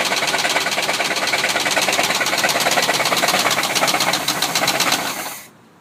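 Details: Worn-out original 1973 Chevy C30 with 365hp LS5 454 big block, previously run low on oil: a sharp, regular metallic rod knock several times a second over the running V8 until shutdown.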